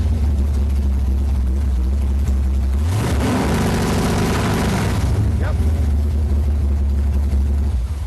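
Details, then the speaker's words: Engine with MSD 6AL-2 ignition, two-step rev limiter activated by 12 V on blue wire and set to 3,000 RPM: idle rises sharply then holds flat and choppy at about 3,000 RPM for two seconds before dropping; limiter holding as set. "The blue wire just needs 12 volts to activate, and so we're going to fire it up, activate it, and then rev it up to our 3,000 RPM setting and see if the thing's got the soft touch action going on."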